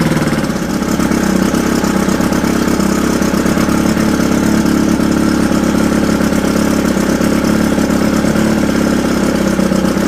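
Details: Mercury Thunderbolt 500 50 HP two-stroke outboard, first run after full rebuild (reeds, bearings, rings, distributor, carb, fuel pump; compression 123-124 psi): loud buzzy idle that wavers and hops; needs slight adjustment, possibly at the carburetor pickup.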